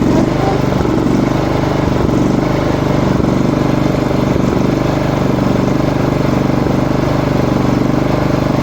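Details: Small lawn mower engine chugging with an uneven hunting idle, RPM jumping; blowing air into the fuel feed makes it run normally.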